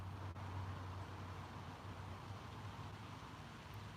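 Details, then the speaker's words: Fuel pressure and flow test on a freshly rebuilt engine that won't start: pump runs 30 seconds into a 500 cc container, giving a quiet, steady hum without stutter or strain. Pressure and flow are both good, so the fuel pump is working normally. "so it looks like a pressure is good and our flow is good"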